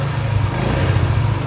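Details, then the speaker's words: Yamaha Jupiter MX 135cc after repair of suspected jumped cam chain and bent valves; engine reassembled, low smooth quiet idle with even beat and no top-end ticking or clatter; now smooth and quiet, healthy. "Dan sekarang kita coba dengarkan suaranya Mas Bro. Coba dengar suaranya. Oke, lumayan sudah halus dan"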